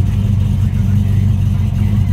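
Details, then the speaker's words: 1965 Ford Mustang fastback restomod, electronic fuel pump, cold start warming up, idling about 600–750 rpm: deep, even V8 burble with steady low pulse, no knocks or misses, good sound; normal idle. "got a good sound to it let it warm up a little bit before we give it a little bit of gas"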